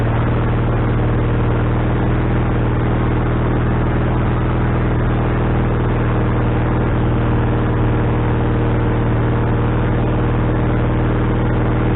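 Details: Wood-Mizer LT40HD sawmill engine just started after fitting a new carburetor, bowl having drained overnight: fast, steady drone that never settles lower; idle stuck high, owner suspects the governor linkage is hooked up wrong.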